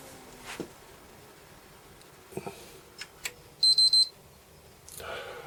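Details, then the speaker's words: Sony PS3 Fat with Blu-ray fault: after green then blue light it shuts off, giving a short run of quick high beeps and flashing red light, indicating hardware failure; capacitors or GPU suspected, not confirmed. "have to have a Google of that now to work out what it means when it goes diddy diddy."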